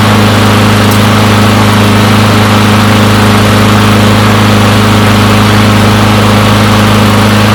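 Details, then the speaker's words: Push mower from a neighbor who said it wouldn't start; new air filter fitted, primer possibly faulty, not run in quite some time. Steady, even single-cylinder hum at constant speed with no misses or knocks; normal running. "I wanted to let that run for a while since I don't think it's ran in quite some time there"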